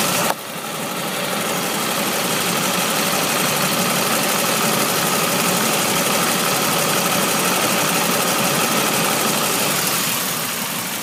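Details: 1999 Pontiac Grand Prix GT at idle: sharp, steady ticking puff about four per second over a smooth idle, from the loose pipe connecting to the exhaust header leaking exhaust.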